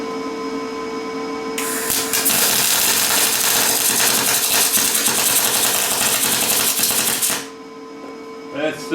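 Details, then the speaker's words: Lincoln 210MP MIG welder, 0.035 wire, 90/10 gas, wire feed around 190 in/min: harsh crackling sizzle with irregular pops, no steady hiss; still short circuiting, machine judged unable to reach spray transfer. "short circuiting so I don't think this this machine is going to get us into spray transfer like I want"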